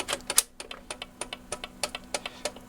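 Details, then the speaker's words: BSR record changer (70s-early 80s) after repairs, motor installed, playing a 7-inch 45: sharp paired clicks about three a second over faint motor hum; suspected worn idler wheel bump. "Oh no, that must be the idler, that noise. That's the idler. Alright, listen to some needle noise. That idler bump is something, so that's what that noise is."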